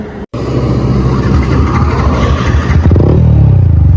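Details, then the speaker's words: Yamaha MT15 single, mileage test on half a litre poured into a drained tank, stalled out of fuel after 16 km: after brief silence it restarts and holds a lumpy low idle; restart after fuel-starvation stall. "Start అయింది guys. మళ్ళీ చూడండి 16 kilometre దాకా అయితే ఆగిపోయింది. ఒకసారి మళ్ళీ start చేస్తే మళ్ళీ స్టార్ట్ అయింది."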